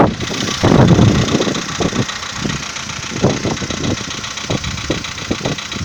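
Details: VW Polo Sedan 2015, morning cold start at idle: irregular dull knocks, several per second, over a busy engine note; owner suspects piston knock, cause unconfirmed.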